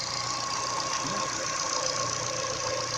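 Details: Ford engine with a newly fitted Contitech timing belt at a slow, uneven idle that nearly stalls, filmed at night: a steady hiss with a thin whine on top. The owner suspects the new belt; unconfirmed.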